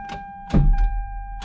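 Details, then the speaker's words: 1993–1998 Toyota Supra: key turned gives one solid click, then nothing, no cranking; worn starter motor needing rebuild. "it just clicks once see i hear that you hear that it just clicks clicks once if you have a super that does that watch this video i'm going to show you how to fix that"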